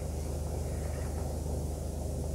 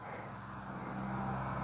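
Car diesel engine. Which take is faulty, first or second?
second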